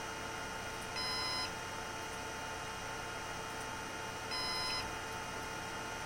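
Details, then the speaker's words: Synology DS118 NAS with a replacement fan in quiet mode: the fan spins too slowly for the expected RPM, so two high half-second beeps sound about 3.5 seconds apart over faint hiss; fan failure alarm. "Okay, so in quiet mode, the fan goes so slow that the device thinks the fan stopped and it's starting to beep."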